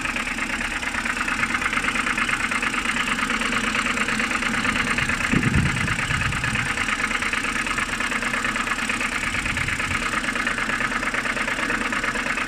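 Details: BMW N52B25, cold morning idle: steady, fairly even tapping a bit over two knocks a second over engine hum, seemingly from the oil filter housing side; cause unknown.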